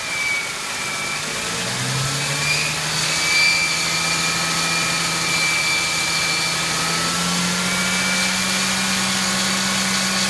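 A thin, steady high-pitched squeal sits over the idle and holds through the revs; something in the engine bay is squealing.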